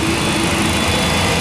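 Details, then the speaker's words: MD-10-10 turbofan just after start, with the starter cut out at 45% N2 and EGT settling from 562 to 543. Steady, even roar with a smooth high rush and no surging or knocks; running normally after start. "All right, that engine is"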